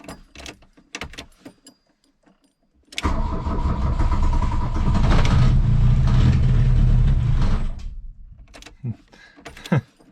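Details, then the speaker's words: 1982 VW Rabbit diesel with cold choke being turned off: sudden start into a heavy lumpy clatter for a few seconds, then drops off and stops; rough running, smoky, though now tries to idle. "all right so it's not quite doing what it was doing the last time I was out here looking at it a couple years ago I suppose by this point in time but before it act like it would go full throttle and then die now it kind of acts like it wants to idle a little bit"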